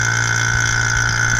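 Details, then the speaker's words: 2003 Mini Cooper AC system after compressor and receiver-drier replacement, flush and PAG 46 oil fill: vacuum pump runs with a steady drone, low hum and faint high tone as the gauge valves open and it pulls the system below zero. "So next step is to turn the vacuum pump on. And when we open them, it draws vacuum."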